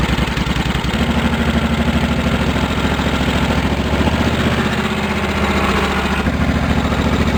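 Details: Cub Cadet 1650 four-wheel-drive build, engine warming up with throttle held open: deep, hard-edged, very loud exhaust thump at steady fast revs, straight pipe with no baffle; owner plans to quiet it.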